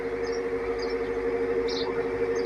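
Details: Hatari 16-inch wall fan on speed 2: quiet when only spinning, but a loud buzzing drone with odd chirps when oscillating. The noise comes from the faulty oscillation motor; the oscillation motor was replaced.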